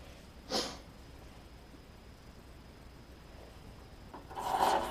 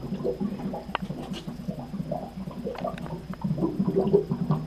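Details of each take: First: Water heater flush during yearly preventative maintenance: near silence, then a rush of draining water with sharp pops as loose sediment and particles flush from the tank bottom; lots of sediment. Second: Water heater being drained for preventative maintenance, cold supply closed and pressure relief opened, milky water with calcium sediment: irregular bubbling and glugging as air enters the tank; normal gurgling.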